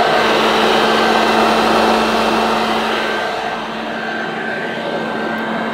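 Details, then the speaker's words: 1982 UK-made Hoover Junior Dirtsearcher U1108 upright vacuum on its highest setting: strong, even motor roar with a steady mid-pitched hum; motor runs smooth and healthy, though the agitator belt needs replacing. "wow nothing at all wrong with the motor on this it sounds very nice even on its highest setting"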